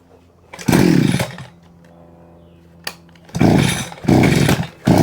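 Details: Vevor 6-in-1 multi-tool two-stroke engine with hedge trimmer attachment, after freeing stuck blades and greasing; steady idle, then clean revs to full speed in even bursts and back without stumbling: normal running.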